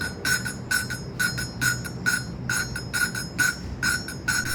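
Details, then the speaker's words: Modenas Kriss 110 motorcycle, new cylinder head replacing an old head with a bad valve guide: rhythmic gritty tapping and scratchy metallic rasping while lapping the valves with grinding compound. The sound is still coarse, so the valve is not yet seated; it should turn smooth when done. "So sekarang ni yang kau orang dengar ialah bunyi macam kasar. Kita akan tunggu daripada kasar kepada bunyi halus. Dia halus tu kira dah okeylah."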